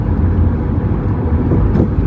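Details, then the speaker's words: 2003 Toyota Highlander at low speed over uneven pavement and a manhole: low road rumble broken by a single dull clunk from under the passenger-side floor, not at high speeds, traced to a worn sway bar link. "there's a little clunk there over that manhole this doesn't really happen at high speeds just kind of on uneven pavement at lower speeds here"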